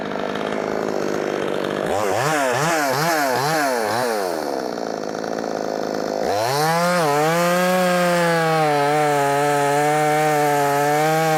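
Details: Brand new, unbroken-in Wemars 6220 clone chainsaw, tuned leaner from rich factory setting: quick throttle blips then loud clean steady high rev that holds well; normal healthy running.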